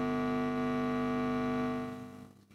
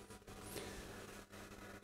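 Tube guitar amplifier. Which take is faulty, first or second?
second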